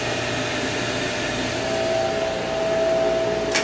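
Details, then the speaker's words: HTP Munchkin boiler after a reset: steady induction blower hum with a thin whistle rising; the gas valve opens and closes but the burner never lights, a repeated no-flame failure with an F09 fault. "I was supposed to try one more time there it goes gas valve open gas Val closed no flame"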